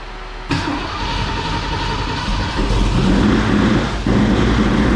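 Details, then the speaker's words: 1970 Ford Mustang Mach 1 V8 after new cam install, first start for break-in: catches and settles into loud steady idle with sharp tap each revolution from bottom end; feared bottom-end problem, oil pan to come off. "it's got a tap in the bottom end or somewhere it's pretty loud tap coming from it"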